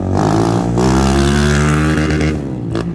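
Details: Honda Fan 160 bored to 205cc with a performance cam and a head fitted with adapted car valve springs, running on gasoline on its first street ride: revs climb with choppy, irregular firing and stumbling. Heavy misfire under acceleration, cause not identified.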